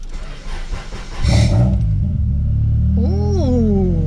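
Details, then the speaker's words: Acura Integra with air ride system installed, battery at 13.1 volts: weak crank, then catches, surges and hunts unevenly before settling into idle; a rough start. "all right started up it was a little rough there but uh we got it we got to start it up"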